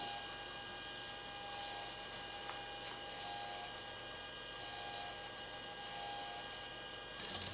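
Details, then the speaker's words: Apollo Lunar Module FDAI attitude indicator after repair, driven by the repaired servo amplifier through big rotations: faint motor whirring in short bursts over steady hum as the ball swings; servo works, very twitchy. "Well, that is the servo amplifier that we repaired. Give it some big rotations."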